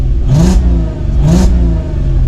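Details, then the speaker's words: VW Golf R32 3.2 barn find during restoration, after service and seized brake piston fix; two clean quick rev blips returning smoothly to idle, no misfire or rattle; typical healthy 3.2 rasp. "typical 3.2 rasp very iconic noise that too mad"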